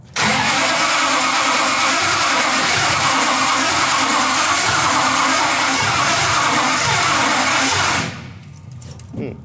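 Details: Fake 1969 Dodge Charger Daytona, being tried with various choke settings and possibly fouled plugs: the starter churns steadily about eight seconds, three to four beats a second, but the engine never catches. Finding: cranking no-start.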